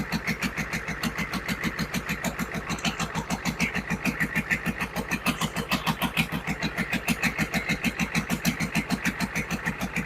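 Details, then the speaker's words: GEP/Navistar 6.5 diesel, rebuilt (Scat crank, 30 over, moly pistons), Stanadyne DB2831-4911 pump, on a stand at about 124°F: even idle clatter about 200 beats a minute, no misses or knocks; one of the smoothest the builder has made, barely shaking on the stand; normal idle. "Well, this is one of the smoothest motors I've built. Usually they're shaking around on the stand a little more. This thing's really smooth."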